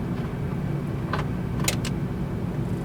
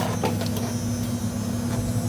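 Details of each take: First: 1988 Mazda RX7, 1.3 L 13B twin-rotor rotary, sat unused for over 10 years, in neutral with the microphone set nearby: the starter spins it with a steady, rhythmic whirr but it never catches; cranks but won't start, cause unknown, plugs to be pulled. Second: 1988 Mazda RX7 sat for 10+ years, electric fuel pump running to drain the old fuel tank: steady low electric hum with faint buzz at constant pitch, no whine or rattle; fuel pump running normally.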